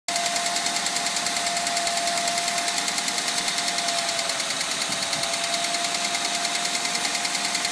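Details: Suzuki Grand Vitara 2.0 engine running: quick, even, regular clacking, about three a second, over a thin hissy engine note; source not pinned down, cause suspected but not confirmed.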